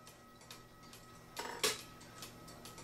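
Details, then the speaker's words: Cuckoo clock with music box that hangs up at the 12 of the minute hand: quiet steady ticking, then a sudden jerky crunch as the stuck trigger snaps free and the music triggers; sticking music box trigger. "that jerked a little bit and it had a crink that's because it was stuck and it it will the hand will not move any further until that happens"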